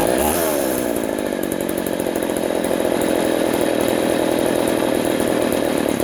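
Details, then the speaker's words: Poulan 3400 / Craftsman 3.4 vintage chainsaw after the carburetor metering (needle) lever was lowered: steady, smooth high revs with no bogging or surging. Before the fix it smoked, loaded up, bogged when warm and died. "wow there that's better before it was smoking and loading up and and then once it warmed up it was like completely bogged down and then it would just die"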